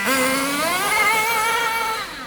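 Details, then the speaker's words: Nitro RC car engine during carburetor tuning, high-speed needle leaned: thin buzzy scream climbs and hangs high before easing; tick-over raised because mixture is too lean. "did you hear that it went it revved and it went Bo oh that's because there's not enough Nitro right not enough we've gone two fights to weak too lean whatever you want to say"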